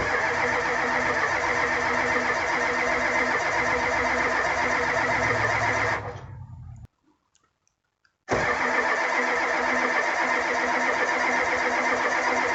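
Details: 1985 Ford F250 6.9 IDI diesel, 4-speed manual, unstarted 4–5 days at down to −27°C, −17°C today, frosted engine: fast steady cranking about four beats a second, no firing, stops, cranks again; no-start from gelled fuel, no anti-gel added.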